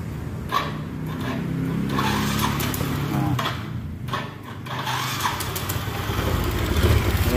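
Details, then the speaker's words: Yamaha Soul GT 125 scooter after repair: starts and settles to steady even low putter, no misfire; earlier rough sound caused by misaligned camshaft timing mark, hard starting by bad spark plug cap, weak battery; now normal. "Ini udah halus suaranya tadi kasar itu karena notnya nggak pas di bagian noken asnya"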